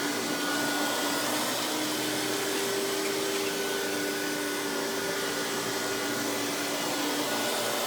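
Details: Hoover PowerMax Supreme 850 S3609 1990s canister vacuum, non-original hose, high speed with power brush on: steady high airy rush with even motor hum, no rattles or pitch wobble; runs very smooth though not the quietest; normal running.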